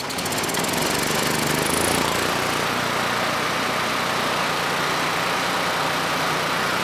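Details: Generac GP5500 generator (low compression) back on its first carburetor with the vacuum leak and fuel leak (O-ring) fixed; started first pull, choke off after about 10 s, under a 1500 W load: steady, even beat, no hunting or misfire, running smooth.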